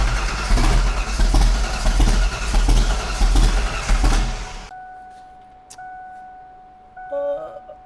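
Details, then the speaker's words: 1988 Foxbody drift car start after wiring work and distributor re-set: lumpy, uneven idle with loud surging pulses before shutting off; rough running because ignition timing was off a lot. "It was off a bunch. That was the That was the problem."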